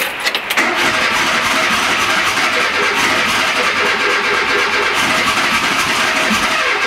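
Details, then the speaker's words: Vehicle on ethanol-blend fuel, cold start after starter motor replacement: brief crank, catches at once, settles into steady even run with no stumbling; runs much better since new starter; normal start and idle. "Comme tu l'entends, il tourne beaucoup mieux depuis que j'ai changé le démarreur."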